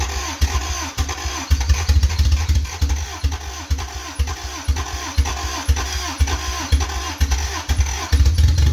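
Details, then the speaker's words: 1985 Toyota MR2, 4A-GE 16v, long-stored, turned further counterclockwise, raw gasoline poured in: uneven low thumping at about two beats a second as it catches, then falters. Starts but won't keep running. "it won't stay on but it but it it it starts that's so cool"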